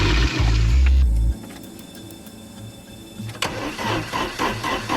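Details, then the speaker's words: 1982 Porsche 924 Turbo (turbo engine, manual with clutch in) after years of storage, fuel pump on: heavy, labored cranking for about a second that never catches, then quiet; slow crank and no start, tank possibly dry. "Turn over really slow. Come on. [Music] [Music] I don't think there's any fuel in this."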